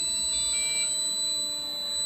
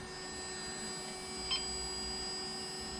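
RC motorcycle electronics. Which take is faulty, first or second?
first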